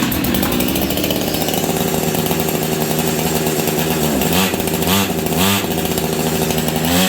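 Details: Husqvarna 385 chainsaw that sat on a shelf for years: steady high buzz, then throttle blips that bog and won't climb. It sounds like the clutch grabbing but runs well otherwise.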